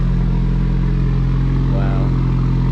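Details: 2019 Subaru WRX just restarted after walnut-blasting the intake valves for -1.00 DAM: deep steady rumble, even and smooth with no stumble or tapping; the engine idles cleanly.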